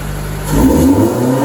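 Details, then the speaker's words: TE31 Corolla with 3SGE Beams black-top engine and Altezza 6-speed, fuel line pinched to raise pressure: idle rises into a short rev that flattens and won't climb cleanly; not getting enough fuel pressure to rev out fully, no wideband fitted yet. "So, basically, as we can see, it's just not getting enough fuel pressure to be able to rev all the way up where it's supposed to be."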